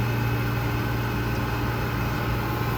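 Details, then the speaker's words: Old commercial Trane water-source heat pump on a cooling call: compressor starts with a steady even hum once a stuck-open safety switch at the evaporator pan is pushed down; switch and clogged drain line need cleaning. "I just pushed that down, and I don't know if you heard that, but our compressor just started"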